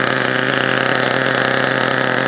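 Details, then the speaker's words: HPI Savage nitro truck, pull-started engine not run in a few years, cold: high-pitched buzz at idle with slight fluttering unevenness; owner thinks it is a little rich and cold, suspected, not confirmed. "Little Rich uh-oh but I got the mess right though yeah probably a little cold a motor Ain R in few years so let her warm up a little bit"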